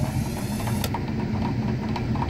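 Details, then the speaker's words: 1950s 1 HP Century Electric repulsion-start induction motor (ex pipe organ blower) driving a large 1943 furnace blower, cover off: low steady hum with a soft whoosh of air and no grinding or knocking; runs smoothly. "this thing sounds pretty nice let's go ahead and fire this fire this thing up and have a listen"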